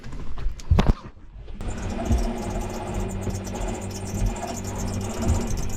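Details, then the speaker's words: Raytheon Type 1 rotary drive on a sailboat's ST6000 autopilot, after a fried unit was replaced with a new one: a strained, low motor drone with a faint tone that worsens the longer it runs. The drive is labouring; cause unconfirmed until disassembly. "okay so you can hear it's doesn't sound good it gets worse and worse the longer I keep it on this is the unit type one rathon rotary drive"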